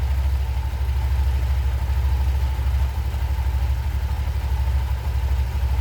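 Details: Honda Vario 125 ESP scooter at idle after reassembly: a steady, even low thrum with no drive-side rattle or judder. Pull-off judder was fixed by blowing dust out of the clutch bell with a compressor. Back to normal idle.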